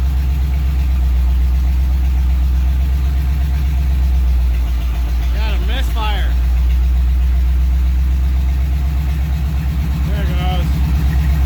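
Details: 1938 Ford, first running, transmission fluid not yet filled, oil pressure reading: idle beat lumpy and uneven with irregular dropouts. Misfiring, cause not yet found.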